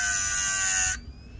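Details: Hard-disk (HDD) motor with a 6 cm diamond disc dry-cutting a hardness-7 stone while pressed hard: a high, steady whine holds its pitch without bogging, then cuts off cleanly; the small motor handles the hard cut fine.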